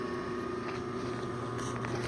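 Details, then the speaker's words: 1951 Singer 111W155 industrial walking-foot sewing machine with newer motor installed, sewing demo: smooth, steady electric hum with constant mid tone, no rubbing or knocking, a little noisy as an older machine; normal motor running. "and [Music] then it's a little noisy but it's an older"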